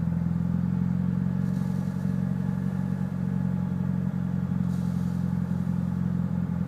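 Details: Lumpy, uneven idle with irregular low thumps and clatter from a Mitsubishi Evo VIII with tuned cams; MAF and intake clean, regularly serviced, rough idle cause unknown.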